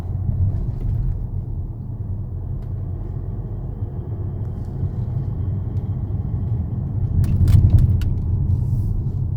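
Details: 2014 Mercedes GLA200 under 30k on the clock: heavy, deep rumble that swells louder as it accelerates; cause unknown.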